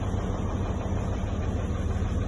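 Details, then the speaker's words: 2012 Freightliner M2 106 diesel with code 1655: deep lumpy uneven idle, cylinder #2 dead (no rpm change when cut out); cause was badly out-of-adjustment valve lash. "absolutamente ningún cambio las revoluciones se quedaron aproximadamente igual a los cuerpos de estas formas que efectivamente tenemos una falla en el número 2"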